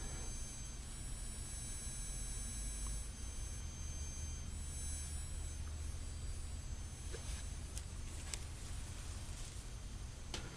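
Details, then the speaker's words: EL wire (neon light) inverter, white lights, held close to the camera microphone before any noise-reduction fix: thin, steady high-pitched whine from the electronic inverter. "depende mucho de la sensibilidad de cada oído algunas personas les parece muy molesto otras lo escuchan poco y otras personas ni siquiera lo escuchan entonces como pudimos ver estas luces funcionan y hacen el famoso sonido"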